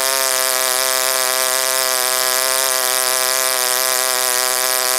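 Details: OS Wankel rotary on 5% Omega fuel with extra castor and a 10x4 APC prop, run after cooling from overheating: high steady scream wavers slightly, not holding high rpm.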